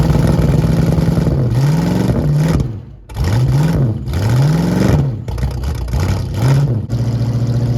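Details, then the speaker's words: 1973 Ford Mustang fastback with points ignition, revived after 30 years in a yard, running with fuel: strong deep exhaust rising and falling smoothly through throttle blips, no knocks or misses; engine healthy, transmission shifting faulty. "man listen to this thing now sounds great okay engines happy transmission is [Music] not"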